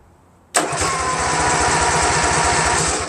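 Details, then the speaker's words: Craftsman GT6000 garden tractor repowered with a Briggs & Stratton Vanguard 16HP horizontal-shaft engine, first crank with no fuel yet, battery wired to starter: starter engages cleanly and spins steadily with no grinding or slipping. "I don't think it's gonna start of course because it's not gonna get any gas I just want to see if it cranks you know I mean theoretically it should"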